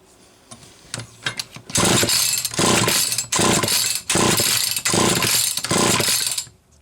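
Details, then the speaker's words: Zama C2002 carburetor from a McCulloch Pro Mac 800 chainsaw, shop-rebuilt, bench-tested on a test engine; it would not draw fuel despite aligned impulse hole, then catches with pops, screams in ragged surges and dies; cause unconfirmed. "Oh, not in the mood for this. Not one bit. Finally drew. Not for long. Come on."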